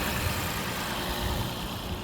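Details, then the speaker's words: 2006 Lexus IS250 AWD just started after battery disconnect, previously dead to the start button, security light still flashing, may need an ECU/PCM relearn: steady, even idle, no misses, knocks or hunting; normal idle. "but I did disconnect the battery so I just started the car it might it might have to go through its uh e ECU PCM cycle"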